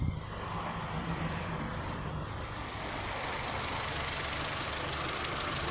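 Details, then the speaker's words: Hyundai HB20 idling after hydraulic power steering pump repair, phone held near the pump: smooth, steady idle with no creak, groan or whine; the power steering is now quiet and normal. "e a bomba vocês vão ter acesso Vou colocar aqui perto do celular para vocês ver mas o carro não tem barulho nenhum"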